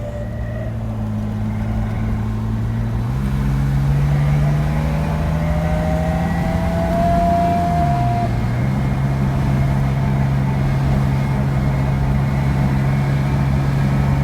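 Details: BMW 635CSi (E24) accelerating: steady low drone with a faint whine rising and falling with road speed, not rpm, quieter under load and gone once hot; cured by replacing the worn driveshaft center support bearing.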